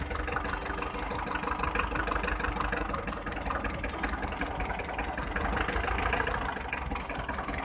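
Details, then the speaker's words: Hyundai 1.25-ton truck diesel, after a sudden clack while driving: shaky, lumpy, uneven idle with heavy smoke and no clean beat; cylinder 3 not firing. "lái xe đang chạy một tròn thì nhiên nghe tiếng cạch một cái, động cơ nổ rung rập, khói ra rất nhiều. Động cơ nổ rất là rung."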